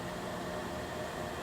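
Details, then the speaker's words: Joyzis 300 W portable power station, internal cooling fan coming on for the first time after about half an hour running under light load; soft even airy whoosh with faint steady hum, no rattle or tick, normal fan. "and it finally had a fan come on. It's not real loud."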